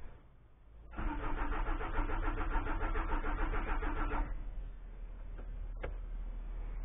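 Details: Citroën ZX diesel broke down again 24h after revival: steady starter cranking about three seconds, never catches; owner suspects pump not pressurizing diesel when ignition is switched on.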